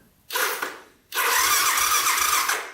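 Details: 1985 Honda ATC250SX three-wheeler (250cc, shaft drive), electric starter with battery hooked up: a short whir, then steady spinning with even low compression thumps; starter turns the engine over normally.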